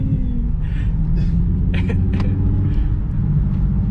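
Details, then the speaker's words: Nissan Z driving after the lower brake rotor shield was trimmed so it no longer scrapes: steady low road rumble with no scraping or rubbing from the brakes; rotor noise gone. "And the brake noise is gone, or the rotor noise."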